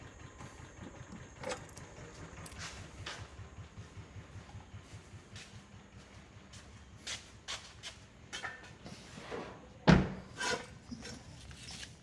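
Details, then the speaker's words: 2004 Kawasaki Mule 3010 petrol twin, earlier fitted with new coils: lumpy, uneven low putter at idle with missing beats and loping rhythm, firing on one cylinder because one coil power wire was pulled off during rewiring. "So, what I'm checking is the coils cuz uh back in the day when I first got this, it was running on one cylinder and the coils I put I put a new pair New set of coils on and all my wiring today. I I pulled one of the power wires for the coil off."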